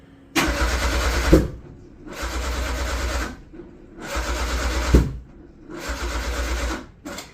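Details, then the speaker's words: Metro GTI race car on standalone engine management, after changing the firing offset to 2 and reducing ignition timing: four one-second cranking bursts that never catch, slowing as the battery dies. Cranks but won't start; cause unconfirmed. "No, it's just made it worse, hasn't it? You can hear the battery's already starting to die."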